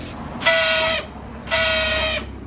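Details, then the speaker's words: Honda Scoopy scooter starter spins but won't start the engine, the starter gear not engaging: two brief high whirring bursts with no engine turning over; later found to be a broken starter drive spring. "ผมสตาร์ทไม่ติดนะครับสตาร์ทได้นะแต่มันไม่ติดอ่าเฟืองมันสตาร์ทไม่ติดครับเสียงก็ประมาณ"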